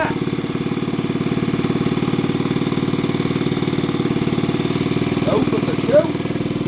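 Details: Old BSA 50cc single-cylinder engine, first start after years sitting under a bench: quick, even popping beat at fast idle with no stumbling; it runs properly.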